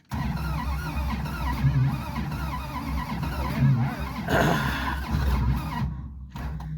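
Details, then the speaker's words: Plymouth Satellite wagon abandoned in a field since the 90s, with starter fitted, new spark plugs, points ignition sparking and fuel added: starter churns steadily about six seconds without catching; cranks no start, engine later seized. "well unfortunately the motor never did start it ended up seizing up"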